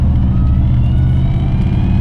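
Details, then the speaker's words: Fox-body Mustang with a stock-bottom-end 302 turbo (about 13.5 psi, 458-471 wheel hp), first 2026 shakedown drive: deep exhaust drone with a faint whine climbing with road speed from the T5 manual gearbox. "You can hear the whine of the T5. that T5's already whining like, please just take me home."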